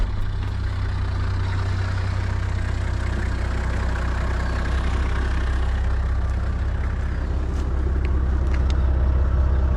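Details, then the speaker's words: Toyota 80 series Land Cruiser, 4.2 inline-six 1HZ indirect-injection diesel, mechanical fuel pump, 546,000 km, warm idle; steady even low drone, no knocks or misses; healthy idle, owner says same when cold. "So it's had a long life, but I mean, you listen to it, it's already warmed up, but it's the same on a cold."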